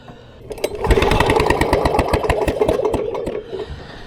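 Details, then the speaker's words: Vintage Lawn Boy Gold Series 4.5 hp two-stroke mower found on the curb; rapid uneven cranking chuff about three per second with no firing, bad magneto giving no spark. "okay bad Magneto on this one this one's got a good Magneto and it's got fuel in it"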